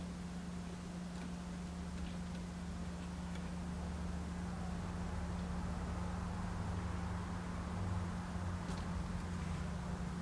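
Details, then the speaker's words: Yamaha mixer board powered up and heard through the headphone output: a steady low hum with a slow, even pulsing throb, the board's fault, with transistors being tested by oscilloscope. "as you can hear, there is a pulsating sound that you can hear through the headphone. That's the problem with the board."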